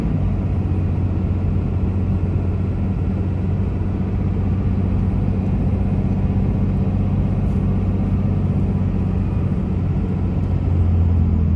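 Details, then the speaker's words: 2004 Dodge Ram 2500 4x4 quad cab, 5.9 Cummins diesel, 36k miles, fully serviced, automatic; deep even drone pulling uphill, no flare or thump between shifts; engine and transmission healthy under load. "we'll head up the hills so we can hear the 59 cing run well as the automatic transmission go through the gears so you can hear for yourself how it doesn't slip shift hard or have any problems at all"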